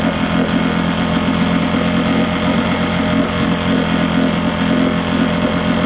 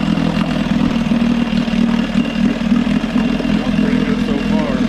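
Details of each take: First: Johnson 6hp two-stroke outboard, compression and spark good, water pump fine, hard to prime: rough buzz that sags instead of climbing when revved. Lean bog on acceleration, later suspected to come from the float set too low running the bowl dry. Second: Johnson 6hp outboard holds a steady, even buzzing drone with no misses or surging, after the carb float (set too low, starving the bowl) was corrected, fuel pump and all fuel lines replaced, and starter refitted: steady running.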